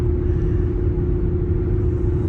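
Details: Before sound: Cooper Endurance Plus tires roaring since a rotation, cruising around 55 mph; constant deep drone with steady unchanging hum; owner suspects tire tread, maybe wheel bearings, before swapping to used Michelin Premier tires.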